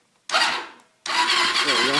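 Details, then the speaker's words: Honda 400ex with a failed Namura piston, before teardown, no neutral-safety switch working and a faulty start button: two bursts of steady, fast starter whir without the engine catching; electric starter is not burnt out. "it's nice to know that the electric starters not burnt old even when I got a spare one in the box there"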